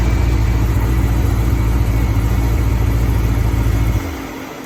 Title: Gen 5 Camaro Twin Turbo noise at idle